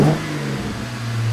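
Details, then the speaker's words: Jeep Wrangler with Delta Force cold air intake and dry-element filter, started and revved: quick throaty rev rising and falling cleanly with a full, even intake note, no whistles or rattles; normal intake sound. "throatiness it took a little bit of the silentness out of it but it just adds a little bit of fullness to the engine bay and it's good"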